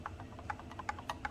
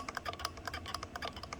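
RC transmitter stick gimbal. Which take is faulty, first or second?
second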